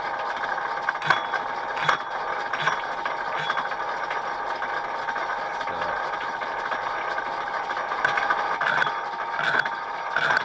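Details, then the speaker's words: Machining a hard bore that is out of round (egg-shaped), cutting gently: faint dry rattle in uneven bursts over the machine hum as the tool chatters. "Gently, because it's hard, so you can hear it, you see it back there rattling like that."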